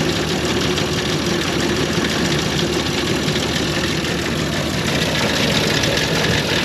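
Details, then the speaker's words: 1930 International fire truck (believed A5), six-cylinder: uneven stumbling idle with irregular missing beats; owner thinks it runs on about four of six cylinders despite cleaned, swapped plugs, unsure if plug wires or plugs. "if you heard that uh it just sounds like it's missing on a couple cylinders but I think it's only running on like four cylinders out of the six"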